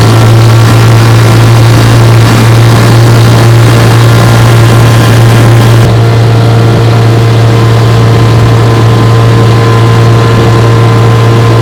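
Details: 1958 Johnson 3 HP JW14 two-stroke outboard, fully restored with a rebuilt magneto and lower unit, warm, pushing a boat about 5 mph: a steady, even low drone with no surging or missing throughout, running smooth and healthy.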